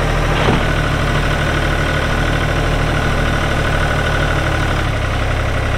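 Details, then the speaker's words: 1999 New Holland TN65S 4WD diesel tractor, cab with AC, 8-speed hydraulic shuttle, NH 33LA loader, 4,162 hours: steady low diesel chug at idle, firing evenly about four per second, no knocks or rattles; engine sounds good — normal diesel idle. "ood like I said AC is blowing cold Hydraulics are strong engine sounds good"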